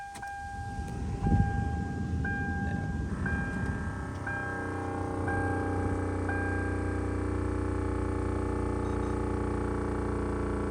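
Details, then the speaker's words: 1995 Ford Crown Victoria LX, engine not started: steady low motor hum from the air suspension pump running 30–45 seconds instead of its usual 10. The car sits a little low. "hoping you can hear so that seems to be the pump for the air suspension and that may be why the car looked like it was sitting a little low and it's actually running a good bit"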